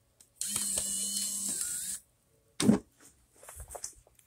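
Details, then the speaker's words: Wii console with the Super Mario Bros Movie Blu-ray disc inserted. High whir for about 1.5 seconds, then a clunk and scattered clicks as the drive fails to read and shows an error: optical drive clicking on an unreadable disc. "oh do you hear it it's making weird noise noises an error has occurred blah blah blah blah blah yep it won't work"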